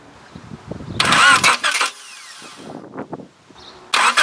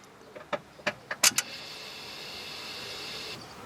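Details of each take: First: Honda Accord with electrical no-start fault, starter tested directly: two strong, even one-second cranking bursts with steady whirr, no grinding or clicking; proves the starter motor itself is good. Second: Honda Accord with electrical no-start fault, starter command wire tested: a few light key and relay clicks, then only a faint hiss; starter never turns, nothing cranks.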